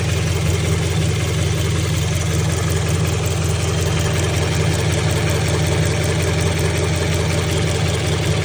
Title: 2016 scion frs ticking noise. any possible issues?